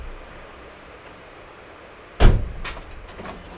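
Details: 1991 Toyota Celica GT pop-up headlights after fault found: quiet background, then a sudden clunk and short whirring run as the pods flip up; motor works normally.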